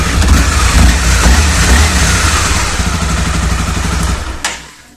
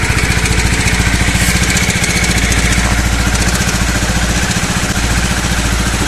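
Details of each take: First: Honda CBR250R after camchain tensioner replacement: single rev blips rise and fall cleanly with a steady exhaust note and no top-end ticking, then the engine shuts off; tick fixed. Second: Honda CBR250R single-cylinder before repair: quick, light ticking over a steady idle, about three or four a second; slack cam chain from a worn tensioner, a common CBR250R issue fixed by replacing the camchain tensioner.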